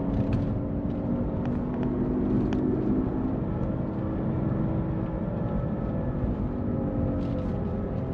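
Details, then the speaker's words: Subaru Liberty Spec B with manual gearbox, front right damage and buckled wheel, cruising: steady low hum with a faint rear tone holding pitch under road noise, unchanged with clutch in so not engine related; owner wondered about exhaust. Whine while driving, undetermined. "so coming up to nearly being at home and I just turn my head and I can hear that noise behind me maybe it's an exhaust"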